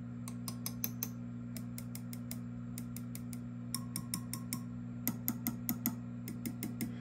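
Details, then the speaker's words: Swart AST Pro tube guitar amp, volume up: steady low hum (sounds like 60 Hz) with sharp pings and clicks as tubes are tapped; power tubes mechanically noisy (microphonic), balance to be checked. "Certainly your your your power tubes here are um mechanically noisy."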